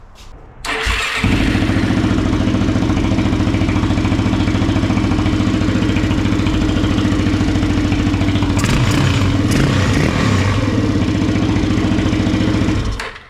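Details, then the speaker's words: Kawasaki KFX400 single-cylinder after crankcase replacement, carburetor still leaking fuel: fires almost instantly, then settles into a steady, even beat with no knocks or misses until shut off; healthy engine. "I want to fire it up again, let it run some more. sounds good. It's a healthy motor."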